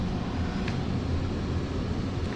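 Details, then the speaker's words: Johnson Controls water-source packaged heat pump on R-410A, back running after repairing a lockout and no-cooling fault: low, steady fan and compressor hum with no rattles or cycling; pressures and temperatures are normal and it is cooling. "all right guys everything's looking good system's back on pressures and temperatures everything look normal for R4 enable cooled"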